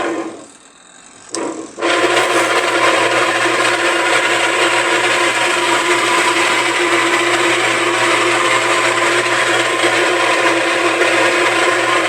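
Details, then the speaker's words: Suggar Lavamax 12 kg twin-tub washer with leaking agitator; motor starts and settles into steady hum with rough raspy whirr, motor and agitator need replacing: noisy washer motor. "Então tem que trocar o motor e o batedor ele é um Sugar 12 kg ver se dá para vocês verem vou ligar agora ele funciona mas ele tá com barulho"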